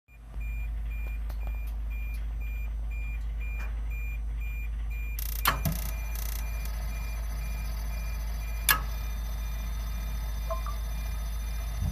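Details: Boiler at start-up humming low with a quick, high electronic beep repeating in short bursts, then burner noise begins.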